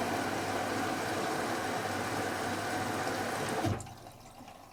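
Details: Logik L814WM20 8kg 1400-spin washing machine, powder detergent in the main wash drawer, main wash LED lit: a steady rushing hiss of water fills the drum for a few seconds, then cuts off cleanly; normal wash fill.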